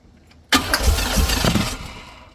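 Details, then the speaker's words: LT1 V8-swapped Jeep YJ with no-spark/no-charge problems: starter spins the engine steadily for about a second with no firing, then winds down; crank no start, owner suspects fuel pump. "It don't want to fucking start now, and I'm pretty certain it's a fuel pump issue."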